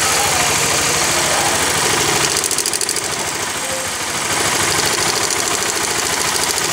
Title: Honda CBR Timing chain sound problem exhausts Bangladesh.